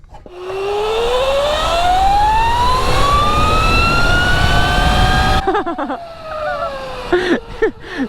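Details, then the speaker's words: 72v Sur-Ron electric dirt bike fitted with a GritShift primary chain drive conversion, chain dry before lubing: loud whine climbing in pitch as the bike speeds up, then cutting off; primary chain whine, owner thinks it is too loud. "oh my god listen to it wine i don't think it's supposed to sound that [ __ ] loud it's also dry as a bone no that's a problem that's too much i i can't even hear myself over it"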